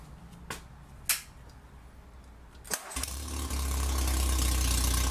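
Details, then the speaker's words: 1947 MG TC XPAG engine, first run in about 40 years after rebuild, with new fuel line between carbs, radiator filled, temporary exhaust: after a few clicks it catches and settles into a steady, even idle running slightly high. "looking good we'll have put some uh water to it fix the fuel line and uh seems to be idling a little bit on the high side maybe we can work that out"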